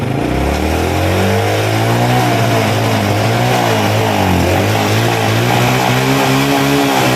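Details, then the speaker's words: Honda Grand motorcycle after carburetor service and valve adjustment, kick-started: revs waver and stumble as throttle opens instead of climbing cleanly; owner blames the ignition, not the carburetor, later fixed, faulty CDI. "so this motorbike cranks easily to start, then when it starts, it stutters, like it's late for gas, but in my opinion, the condition of this engine is that it is stalling or struggling, not because of problems with the bpm or the carburetor, Bro."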